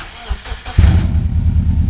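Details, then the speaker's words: Subaru shorty go-kart with fuel pump in a gas jug, started on a jump box: brief cranking, then catches cleanly and settles into a steady, even low rumble; runs. "all right it runs so everything is flashing"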